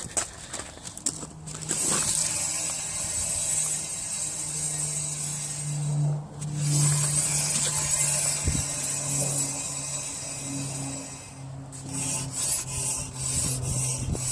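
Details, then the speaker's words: Audi S3 jacked up, rear wheel spun by hand on the suspected side: continuous rasping scrape and squeal over a low hum, swelling and fading; owner suspects wheel bearing, also noted a clunk, rear wheel rubbing scrape. "here's me s3 making some wacky noises squealing noise from the back i figured i'd jack both wheels off the ground see if we can find out what's happening"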